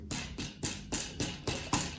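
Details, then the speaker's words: Shimano 105 left STI shifter on a Specialized Diverge gravel bike with almost 5,000 km: sharp hollow plastic rattles about three a second over rough roads, from a loose nut inside the shift/brake lever. "I got the problem that my Shimano 105 uh left STI making some uh yeah how to say rattling noises on rough roads so like"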